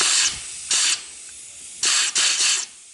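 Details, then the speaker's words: 6T40E transmission from a 2011 Chevy Cruze with a 3rd-to-4th slip, air test after replacing drum and sealing rings: short compressed-air bursts with hard dull thumps as the middle clutches apply, no leak hiss, piston now sealing fine. "And you can hear it thumping pretty hard. Bop, bop. Now before, it was leaking all around here. There's no leak there."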